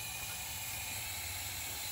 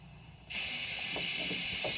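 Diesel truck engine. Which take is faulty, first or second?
first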